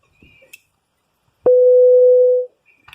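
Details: Opel Astra H radio swap, CD70 head unit with CID display, after coding the display with the car's security code via OP-COM: single steady mid-pitched beep about a second long, meaning the radio is still in delivery mode, not yet coded.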